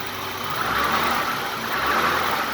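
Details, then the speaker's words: 1980s BMW 635 CSI E24, M30 petrol six, barn find restarted after valves adjusted to 0.20 mm: smooth, even purring idle with no top-end ticking, much quieter than before the adjustment. "Ah oui, rien à voir. Là, ça ronronne comme un 6 cylindres, enfin. Un essence, pas un gasoil, t'inquiète pas."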